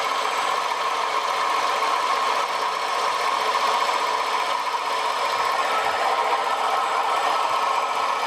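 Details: Short-stroke sprayer pump after its crunchy, rusty, unsealed bearings were cleaned and regreased: a steady motor hum with a faint rough rustle; it runs freely, with only mild bearing noise and no play.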